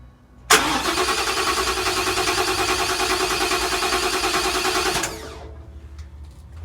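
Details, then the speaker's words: 2021 Ford F-150 that cranks steadily for about 4.5 seconds but never fires; it had started on brake cleaner. There is no power to the fuel pump because the pump control module was found unplugged with a broken connector lock. "I'm going to plug this module in and it should start right up who unplugged this module unplug it connector is broken"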